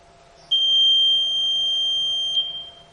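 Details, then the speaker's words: Electronic voting machine control unit during a mock poll, after three votes: one long, steady, high beep of about two seconds when the close button is pressed, ending polling so further votes show invalid. "अब तीन बार डालने के बाद हमने यहां पर close button दबाया"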